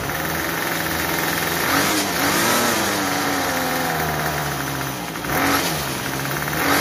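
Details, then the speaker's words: Troy-Bilt TB32EC two-stroke trimmer after carburetor idle and mixture adjustment: a steady buzzing idle without the head spinning, then a clean climb when throttled and a return without stalling; running correctly. "so that's pretty close we want our head to stop when we stop giving giving it the gas and then we want it to idle but not stall but not too fast and then when we give it the trigger we don't want it to die out"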